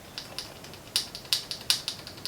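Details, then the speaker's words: Sensah RX10 groupset on a budget bike, heard while shifting through the gears: sharp uneven clicks from the upper jockey wheel, which wobbles side to side as if it has no bearing; chain routing is correct. "okay so that little weird noise that you hear is actually this bottom or i guess it'd be the top jockey will and remember earlier we're talking about how it just sounds weird like there's no bearing in there"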